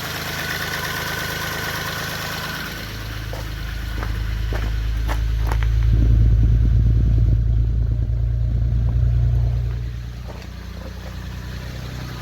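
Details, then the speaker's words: 1991 Chevy Sprint after in-car rebuild with new rings, hone, valve seals and gaskets, fuel pump and coil reconnected: catches and settles into a steady, even low idle, rising briefly then easing down, no knocks or misses; sounds much healthier. "oh yeah here we go it sounds way healthier crank it over okay"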